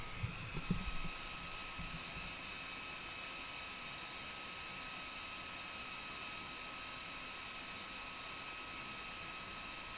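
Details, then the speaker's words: Kingroon KP3S 3D printer part-cooling (layer) fan running: after a brief clunk, a steady, high-pitched, turbine-like whine with an airy hiss holds level throughout. The blower itself is simply very loud. "that layer fan is a turbine can you guys hear that in the background it's it's screaming she's a screamer"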